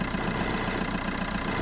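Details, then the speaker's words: Ford Ka at idle after starting: fast regular buzzy rattle about seven beats a second from a part loose because its retaining clamp is broken. "just need something to hold that in place cuz you normally got a clamp that's Clips onto that and Al place like that but that's broken on this which is quite standard"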